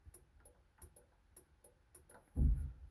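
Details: 1933 Plymouth coupe street rod after rewiring, horn not hooked up: sharp, evenly spaced clicks about twice a second with no horn sounding; horn relay switching normally.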